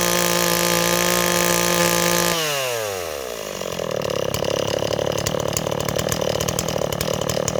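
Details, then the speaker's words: Stihl 026 two-stroke chainsaw holds a high buzzing run, then drops to an uneven burble at low speed, loading up on fuel after idling. It runs a little rich and bogs in wood. "okay neighbors our sauce running a little rich but the problem is it Bob's in wood so should we take a walk and find some wood to cut neighbors"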